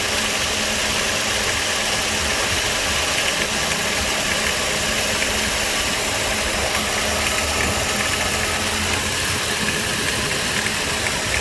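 Engine idling with a hissy, rattly whirr riding over it that stays constant; sounds like the AC compressor is noisy, cause unclear.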